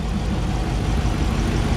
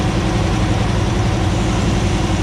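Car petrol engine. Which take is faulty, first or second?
second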